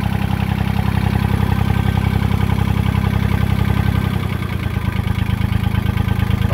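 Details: John Deere 1050 diesel tractor started with a little fuel; it catches and settles into an even, steady idle with a clean firing beat, briefly picking up with throttle; runs healthy.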